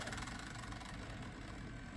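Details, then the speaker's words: Gateway Solo 2500 laptop CD-ROM booting a Windows 95/98 restore CD burned at 24x: a rough fluttering whir with rapid pulsing, repeated spin-up and seeking. The drive is struggling to read the disc, suspected from the burn speed. "Ugh, that doesn't sound good."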